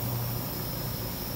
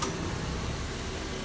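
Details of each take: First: 2014 Nissan Versa 1.6 on lift, rear wheel spun fast: steady low droning rumble and hum with felt vibration; worn rear wheel bearings, both sides, though owner thought front; to be replaced. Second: Nissan Versa on lift during rear wheel bearing diagnosis, wheel spun: even smooth rushing spin with no growl, rumble or knock and no vibration felt at the spring; this side's wheel bearing is good.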